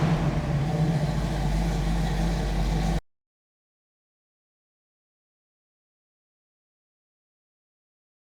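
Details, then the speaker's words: 1967 Chevrolet Camaro RS/SS, numbers-matching 396 big-block V8, Edelbrock 4-barrel carb, HEI, Turbo 400 automatic, under the hood: deep, steady low rumble with an even beat, no knocks or misses; runs healthy. "So like I said, what we'll do now is get this thing down, go underneath the hood so we can fire that numbers match 396 up for you, let you hear what it sounds like."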